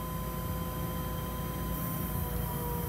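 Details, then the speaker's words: 1976 Datsun 280Z, fuel-injected, running off a fuel drip bottle: key on, a steady even electric hum of the fuel pump over a low rumble as it draws fuel up through the filter; normal pump operation. "okay i'll turn the key we'll see if we hear the pump and then we can check the fuel make sure it did pump fuel up through the filter yep i can hear the pump running"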